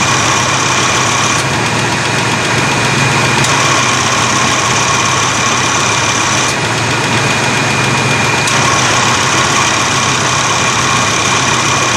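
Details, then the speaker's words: 1987 Chevy S10 at idle after replacing the AC accumulator/dryer and orifice tube and reseating a fitting with an O-ring fix. A steady hum and hiss as the compressor engages, with no grinding or clutch chatter. Normal AC compressor operation. "Right, so the compressor's kicking on and staying on now."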